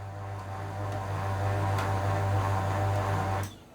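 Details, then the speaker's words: HP LaserJet P1101 printer, disassembled: a steady low hum with a buzzy edge drones loudly the whole time it runs, then cuts off; owner suspects the fuser unit. "तो मैं यहां पे on कर लेता हूं तो आप सन सकते हैं दोस्तों यहां पर बहुत ज्यादा आवाज़ हम लोग को मिल रहा है"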